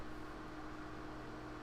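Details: Old PC running, case open: quiet constant whir with thin steady hum, no rattle; small fan noisy owing to its size per owner, to be replaced by 120mm fan; cause suspected, not confirmed.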